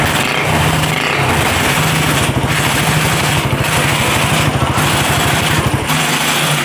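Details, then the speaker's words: Honda CB/GL single-cylinder engine at idle after replacing worn camshaft and rocker arms that caused a rough ticking from the head; even, steady beat with no ticking, oil circulation checked; top end now smooth. "cek sound di sini untuk CB sudah diganti untuk noken as dan templarnya kita lihat di sini untuk suaranya sekarang lebih halus ya Mas Bro"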